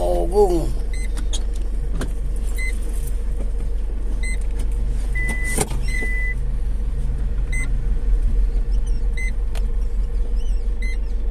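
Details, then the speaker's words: Foton Traveller diesel van idling after a full clutch set replacement that cured an earlier clunk and drone: a steady, smooth low rumble with no grinding or drone. The drivetrain sounds healthy. "Ayos na. Ayos. Wala nang ingay oh. Wala nang ingay, wala nang umugong."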